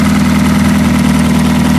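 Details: Demolition derby car engine, old fuel drained, oil filter deleted, started via push-button bypass of the key: steady, even low rumble, smooth idle with no knocks or misses; idling normally.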